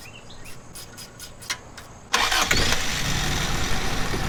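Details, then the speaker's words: 1986 Toyota Corolla AE86 hatchback, carbureted, 269,000 miles, oil burning, vacuum leak suspected at the carburetor gasket: short crank then steady idle noticeably too high; high idle solenoid suspected seized. "Damn, it's still idling fast. Well, that wasn't it."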